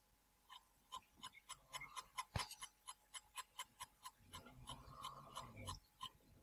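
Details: Tacx Booster trainer brake making rhythmic sharp metallic ticks about twice a second with a steely ringing; disc inside seems wobbly, cause suspected, not confirmed.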